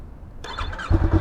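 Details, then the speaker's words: A Yamaha R3 on its first start after an Akrapovic slip-on exhaust replaced the restrictive stock system catches and settles into a deep, throaty, pulsing burble with short blips. It sounds much beefier than stock: a normal, healthy start. "Oh wow. Yes, this is what we needed. It sounds so much beefier. Way better."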